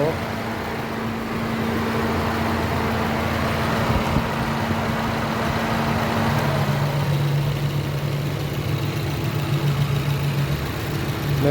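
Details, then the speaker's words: Pride engine after rebuild, first start after reassembly with oil pressure and temperature checked: even, settled idle with a steady low hum, no knocks or ticks; healthy, smooth running. "پایان کار پراید، موتور بسته شد، روشن شد. صدای موتور، فشار روغن، درجه"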